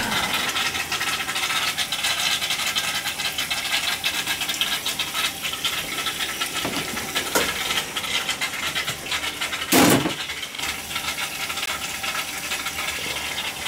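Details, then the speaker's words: Gas boiler hydronic heating system with copper loops and cast iron baseboard, refilled after pinhole leak and expansion tank issue: constant hiss of rushing water with ticks and rattles; air trapped in the heating loop. "that's why it was making that way of noise we had a couple of copper loops and then the other ones off cast iron baseboard"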